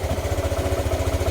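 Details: Yamaha YTX 125 single-cylinder motorcycle, normally fitted with a sidecar, idling after misfire was fixed; even low thump about twelve beats a second, no skips; clean idle but still won't move in gear, clutch suspected.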